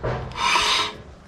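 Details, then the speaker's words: Honda Civic EK with turbo D16Y, after fitting a big brake upgrade with caliper reinstalled: short raspy scrape as the wheel turns, metal lightly dragging, from the rear dust shield touching the rotor. "Alright, that's the sound you want to hear. My dust guard or rock guard in the back was lightly touching."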